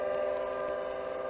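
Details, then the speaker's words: DEC Rainbow with newly fitted RD51 Winchester hard drive after power-on: quiet, steady mid-pitched hum with no grinding; drive and fans spun up normally and both drives read. "The hard drive has definitely spun up. There we go, just read both of the drives."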